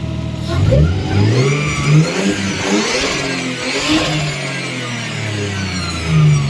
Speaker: so when the engine is running you can hear the uh the whining sound going up and down with the revs